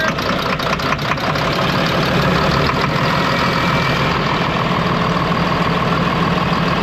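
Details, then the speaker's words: Ex-US Army Cat D6R bulldozer, 822 hours, first start after sitting inoperative: loud diesel idle with uneven lumpy beat and dropped pulse; running on five cylinders from a weak injector not clicking well; new injectors ordered. "Yeah, it's only run on 5 cylinders right now, so that injector is not clicking very good."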